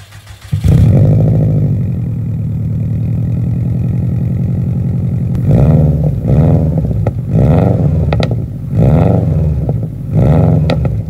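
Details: Bugeye Subaru Impreza WRX STI (UK model) with an EJ207 turbo engine built to blueprint spec with all new parts after the original's big-end rod bearing failure, full 3-inch Blitz exhaust and uneven exhaust manifold. It catches quickly into an even, lumpy boxer burble with clean throttle blips, a normal start and idle.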